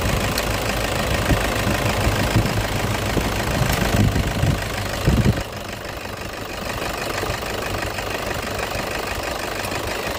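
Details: Toyota engine in an AC compressor clutch magnet replacement job: steady idle with a light mechanical patter and a few louder bumps early on; sounds like a normal idle.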